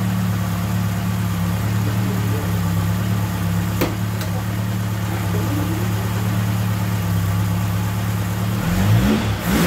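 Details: Ford Capri Pinto, 41 years old, with Ashley 4-branch manifold and exhaust, idling after its blowing exhaust manifold gaskets were replaced before a passed MOT: smooth, even low idle with no ticking or chuffing, exhaust sealed and healthy.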